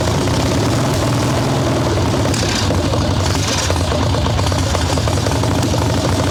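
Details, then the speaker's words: Harley-Davidson Ironhead Sportster chopper with Mikuni VM38 carb, idling with choke off after warm-up, idle bumped; loud, lumpy, uneven V-twin beat, boggy and unhappy, owner suspects not just carb; rich mixture. "She's not happy at all. That almost didn't sound just carb to me."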